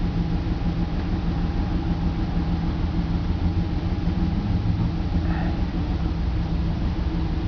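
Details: BMW 325 with M54 petrol six, cold-start idle: a deep, uneven, stumbling rumble with misfires logged on cylinders 3 and 5, sometimes 4. Crankcase valve, plugs, coils, injectors and fuel filter were already done; it smooths out once warm.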